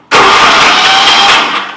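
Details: Vintage Commuter Industries TE390 three-wheeler with old oil and a replacement battery: one harsh cranking burst of about a second and a half that fades without firing; spark and air confirmed, carburetor found bad, no start.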